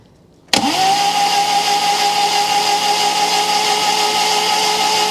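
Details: 1997 Rover 200 vi after head gasket replacement, fresh oil, first start attempt: starter spins the engine at a steady even pace for several seconds with a whirring drone but it never fires; no fuel pressure yet, fuel leak suspected.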